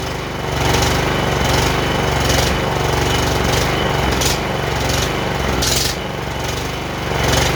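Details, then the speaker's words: John Deere JX85 commercial walk-behind mower, choke just taken off: engine hunts up and down about once a second instead of holding governed speed; owner suspects lean fuel-flow problem, carburetor to be serviced. "and since it's kind of surging uh it sounds like a fuel flow problem um being too lean of a mixture you know it's getting gas and it's not getting gas"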